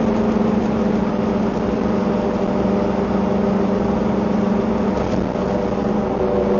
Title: Engine Noise during accelerating 2